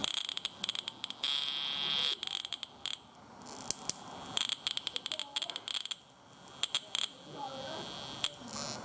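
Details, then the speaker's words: 1998 Chevy pickup with a misfire on no. 2 after new plugs and wires. Sharp snapping ticks over a thin whine as spark jumps between terminals along a burnt track inside the distributor cap. Distributor cap crossfire arcing. "turned out so we can see you inside so that spark level jump right from one corner right over to the next player"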